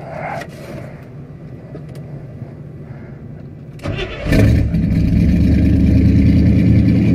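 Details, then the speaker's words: Carburetored "Dirtball" engine after choke set down, high idle screw being adjusted (distributor advance checked OK): engine settles then revs to a fast, even idle with steady low drone; idle set too high. "well choke it's definitely set down yep see if we can't get it set to high idle"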